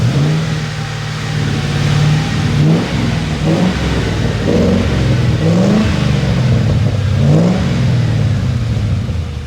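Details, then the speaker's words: 2004 Ford Crown Victoria 4.6L 2V after timing chain replacement, warmed up 10 minutes: under load, uneven stumbling pulses and wavering note with a hard misfire and shake; long-running intermittent misfire not registering on scanner. "Put it under load and it misfired hard. You can see it shake."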